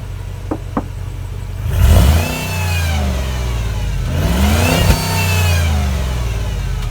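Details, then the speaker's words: 13-year-old Jeep Commander 5.7 V8 4x4, 115k miles, warmed up and revved: deep engine revs with faint thin whine rising and falling with rpm; accessory whine, owner suspects power steering pump failing. "I do hear a little bit of accessory wine I'm sure y'all hear that too but there's no way to see anything going on down here"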